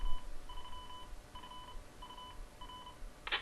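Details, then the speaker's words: Portable DMR/analog repeater built from Motorola GM300 radios with a ZR310 controller and duplexer, running in analog mode. After the courtesy tone, a short run of even two-tone beeps plays: the normal station ident. "and the ident"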